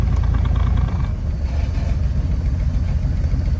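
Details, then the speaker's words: Engine idling in gear, in low then reverse: deep, lumpy idle about three pulses a second, wavering near stalling, far rougher than normal; smooth again in neutral. "it idles like crap. But then go back up to reverse, and it's still idling rougher than normal. But see, that's not normal. That's way rougher than it always idles."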